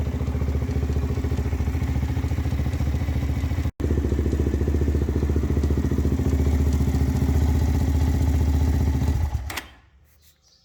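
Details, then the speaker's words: Z400 quad after one-way starter bearing replacement: uneven, labouring chug about three and a half beats a second that dies after nine seconds; the starter motor is failing. "right so we found out the starters actually what's going bad which is fine because i can order one"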